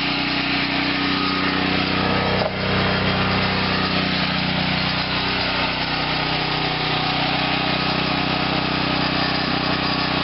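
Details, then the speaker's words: Small engine running steady with a homemade shortened reactor (4.5 in 4130 steel rod) in the intake: loose, uneven rattle as the rod bangs around inside the reactor, owner suspects needing a better rod stop. "better I still hear the rod banging around on the inside of there"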